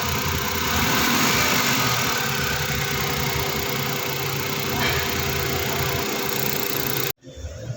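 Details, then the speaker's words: Suzuki DA64 with K6A engine, check engine light on: small petrol engine idles unevenly with a lumpy, stumbling beat. Scanner shows a cylinder 1 misfire, possibly the ignition coil or spark plug. "Tapos yung andar niya guys palado ko guys ito yung lumabas cylinder number one spire titingan natin guys ah posible sa coil lang ito or spark plug"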